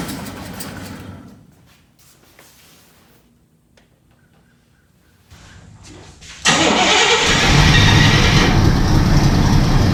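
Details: Buick 401 Nailhead V8, freshly rebuilt second time and reinstalled, oil and fuel primed, first start: runs down and quiets, then cranks steadily and catches into strong, even roar; healthy first start, fired up easily.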